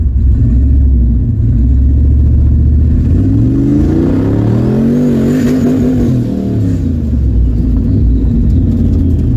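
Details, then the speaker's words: GT45-turbocharged Mustang on its first drive after an alternator fix, tune being adjusted: engine pulls hard, pitch climbs, then chops into a rapid stutter as it bangs off the rev limiter's hard cut. "Man, I whacked the rev limiter hard that time. It went into the hard cut. Dong, dong, dong, dong."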